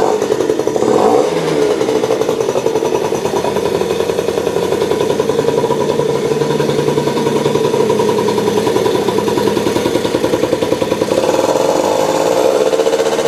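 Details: Benzer GT 50 two-stroke 50cc scooter after 4 years standing, oil had got into carburetor and crankcase: rapid buzzing idle with slight sag, lazy and uneven; running rich, needs adjusting.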